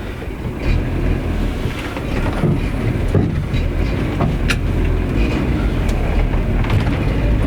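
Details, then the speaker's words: Renault Trafic after a swap to a new C1J engine, heard from an onboard camera on a test drive: a smooth, low, even drone with wind and road rumble and no knocks or rattles. Quieter than before the swap, idle around 600 rpm; normal running. "tu vois le truc que je remarque c'est qu'il est vraiment plus et il est moins il est moins bruyant"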